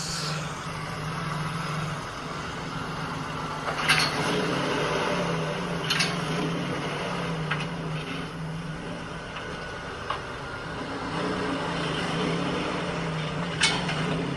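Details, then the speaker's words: Truck with a one-piece driveshaft that replaced the stock two-piece: sharp clicks every few seconds over a low drivetrain rumble, only when pulling away from a stop, for a couple of weeks. One tire is hard to spin (owner suspects sand); cause unknown. "Today I'm trying to tackle a clicking noise that I have been having for like a couple weeks now, and this clicking noise only occurs when I'm taking off like from a stop."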